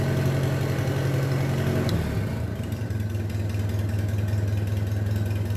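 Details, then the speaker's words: Minneapolis Moline BF tractor engine after in-frame rebuild for heavy blow-by (suspected ring job), running: brief rev then steady low putter, even firing with no knocks or misses; healthy. "Sounds pretty good, eh?"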